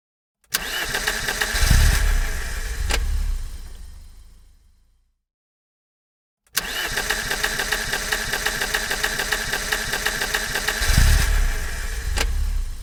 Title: Car Issues - Engine Cranks But Won't Start